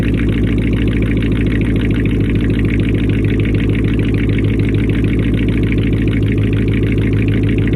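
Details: First start after a week down from a bad alternator: a steady, even idle at about 200 pulses a minute with no squeal, knock or miss; the engine sounds healthy. The replacement alternator later proved faulty, with suspected bad pulley bearings.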